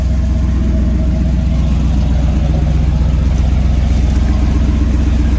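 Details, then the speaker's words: Ford 460 EFI V8 with VS Racing S480 turbo and 60mm wastegate, after first leak fix attempt: steady lumpy idle with faint rhythmic puffing; exhaust still leaking at passenger-side wastegate dump tube, possibly worse. "But I can still hear it, and I can still feel the exhaust on my hand. The dump tube, I can hear it coming out. It's definitely leaking."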